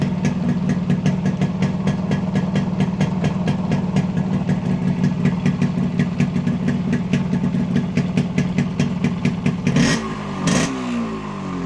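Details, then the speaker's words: Yamaha RX100 two-stroke with an Indonesian RX King CDI unit (14,000 rpm limit versus 7,000 stock Indian). Crisp, even popping at idle picks up cleanly with the throttle and settles back; ignition sounds healthy. "நீங்க sound beat ஒவ்வொரு type rice பண்றதும் sound beat மாறுறதை நீங்க பார்க்கலாம்"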